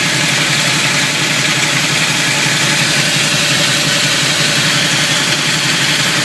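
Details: Camaro at low idle: a rough steady grinding rasp over the engine pulse, growing louder when pulling away and shifting between drive, neutral and reverse. Owner suspects the flywheel or torque converter; minor chipping on the flywheel teeth at the starter, all bolts tight.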